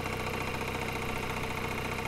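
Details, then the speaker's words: 1989 Nissan Silvia S13 Q's, non-turbo CA18 twin-cam 1.8 L: fast, regular internal knocking over the idle that goes away when revved but returns at certain rpm. Suspected serious internal engine problem needing a rebuild, unconfirmed. "like something inside the engine is well in a place it shouldn't be if you rev it the sound will go away"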